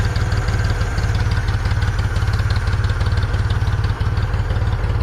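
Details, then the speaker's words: 1974 Ford 3550 industrial tractor, revived after 18 years sitting: steady, even low chuffing at a settled idle with no misses, knocks or hunting, left idling. Normal idle. "just just keep checking it out don't let it sit here and idle and probably till it runs out of gas or close to it"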